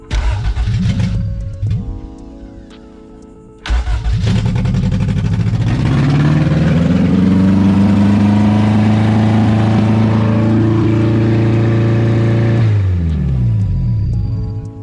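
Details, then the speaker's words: Toyota MR2 AW11 with swapped 20-valve Silvertop 4A-GE, first start: cranks, catches, revs up and holds a steady idle far too high; cause unknown to owner. "it still idles ridiculously high i'm not quite sure why it does that i'm gonna have to figure that one out"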